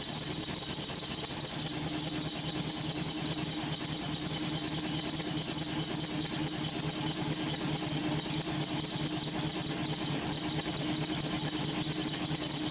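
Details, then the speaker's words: LS-swapped V8 on homemade headers, steaming, first runs: a steady, high squeal over an even idle that doesn't change pitch. Owner suspects a failing idler pulley, which feels warm; the alternator feels very hot. Not confirmed. "I don't know what the hell is squeaking so bad. One of these pulleys seems to be going bad. Oh, I think it's the idler pulley."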